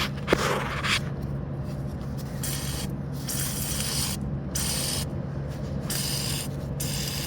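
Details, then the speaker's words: 2010 Chrysler Sebring 2.4 with coolant leak and no heat, cooling system under pressure tester: sharp hiss in bursts as the radiator hose is moved, worsening; leak at the radiator hose near a very old clamp, doubted as the cause but to be replaced temporarily to check. Coolant leak at radiator hose. "We can hear some leakage happening. Oh, that's coming from the radiator."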